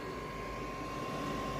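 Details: Dacia Dokker with a newly fitted 12/24/220 V parking heater running: steady soft air whoosh with a thin constant fan whine, burning evenly without surging; owner unsure what the faint fan sound is.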